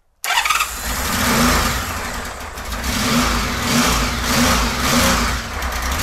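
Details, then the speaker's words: 1999 Honda Valkyrie Interstate, not run in years, fuel turned back on: catches but runs rough and uneven, revs sagging and surging, won't hold idle; carburettors suspected. "thank you does not want to stay running that idle at all"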